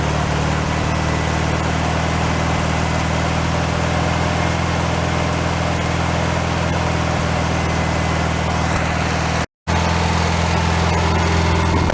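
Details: Rebuilt air-cooled four-cylinder engine for a 1965 VW sunroof Beetle, running out of the car during a planned 20-minute run-in after fixing a small carburetor leak: a steady, even low thrum with no knocking or missing. Normal idle.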